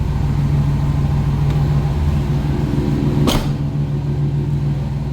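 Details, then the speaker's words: 1996 GMC C1500 4.3L V6, 363,000 miles, new battery, check engine light for torque converter slipping code, likely Flowmaster 40 exhaust: steady, even low hum at idle with no knocks or misses; runs smoothly. "Feels pretty good for a V6. Has a think like a Flow Master 40 on it if I remember right."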